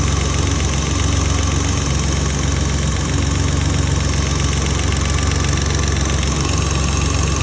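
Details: M30B34 engine at idle, owner suspects lifter tick: a steady idle with a light, quick tick about four times a second from the top end; engine ticking at idle.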